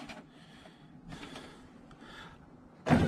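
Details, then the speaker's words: Suzuki X-90 driver's power window after replacing the motor that would go down but not up: quiet motor whir, glass moving smoothly, firm thud at the stop; still a bit weak but working normally. "up still pretty weak but it's going way better than it did i count that as up all right fixed now"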